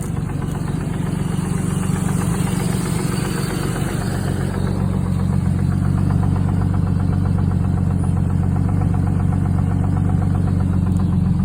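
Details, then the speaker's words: 1989 Jeep Cherokee 4.0 inline-six, 5W-30 with Lucas, warm idle with oil pressure dropping to about 20: steady, regular knock about four a second; no misfire or performance loss; owner suspects rod bearings, lifters or piston slap, unconfirmed. "And as you see now, it's warmed up. It's dropped down to about around 20. You can hear the slight knock now."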